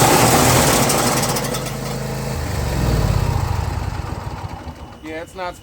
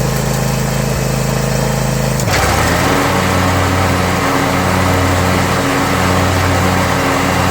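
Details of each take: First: John Deere Z335E zero-turn mower: rough, irregular clanking about two to three times a second over the engine once the blades engage, like it's about to explode; busted deck spindle. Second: John Deere Z335E zero-turn mower after a spindle replacement done without removing the deck. The engine hums at steady idle and the blades engage with a smooth, even whirr, no grinding or knocking, then wind down cleanly: normal blade engagement.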